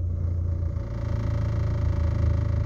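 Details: Mitsubishi Lancer at normal operating temperature with idle servo (IAC valve) bypassed, air conditioning switched on and off; low steady rumble, even beat, idle holds about 780–790 rpm, dipping slightly and recovering quickly; smooth stable idle.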